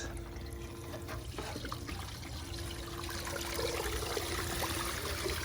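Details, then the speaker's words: 12 V pump run directly from a 100 W solar panel with no battery, lifting water about 3 feet: steady low motor hum under splashing, gurgling water at an even pitch; the pump runs strong and healthy. "And looks like it's running really good. I can hear it and running very strong."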